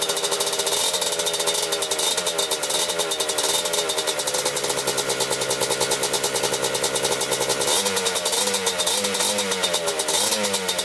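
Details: 1987 Kawasaki Tecate 4 250cc two-stroke quad, just rebuilt, idling after gas was poured into the cylinder to start it; fast, even, crisp popping without stumbling; normal idle.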